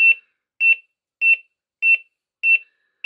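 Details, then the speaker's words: Sharp, even beeps about 1.5 per second from a Smart Water Leak alarm WiFi wetted in the cellar, several floors below. Water leak alarm sounding; barely audible upstairs, not loud enough. "Par contre, je vous avouerai que le bruit, je l'entends à peine d'ici, d'où je suis, à l'étage. C'est pas assez fort, c'est dommage."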